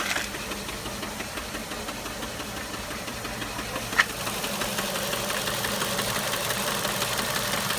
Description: Ford mondeo 1.8 petrol Duratec HE Engine 87,000 miles ( knocking/tapping ) I have no idea if where is the noise coming from? help please. 😔